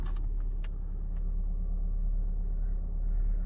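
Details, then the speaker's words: Saab 9-3 petrol engine idling smoothly after ignition coil replacement (new spark plugs fitted recently); before the repair it shook at idle, Check Engine flashed, and OBD showed misfire codes. Steady even rumble, no stumble; the loose flap no longer rattles. Normal idle. "silnik równo chodzi i wcześniej już tak było że po odpaleniu zaczął sam drgać czyli tu mi wszystko latało zwłaszcza ta klapka już mi latała"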